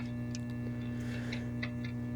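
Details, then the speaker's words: Mistreated 1965 Fender Princeton amp, on current limiter: constant low buzzing hum with steady overtone and faint ticks; ruled out preamp, a power amp problem, new caps on order. "So, this is a power amp problem of some sort, so I'm going to have to dig into this."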